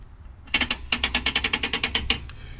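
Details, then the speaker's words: PowerTrax LockRight locker in a Suzuki Samurai axle, turned by hand with no load: crisp clicks about eight per second, the normal ratcheting as it releases; high-performance fluid is said to cut the clicking. "okay so you can hear the ratcheting noise as it turns"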